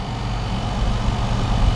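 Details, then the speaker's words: Trotec portable air conditioner with a rotary compressor of unknown brand, running in a room: low, steady hum with a faint rumble, no rattles or knocks; normal compressor running. "this has a rotary compressor not sure what brand it is"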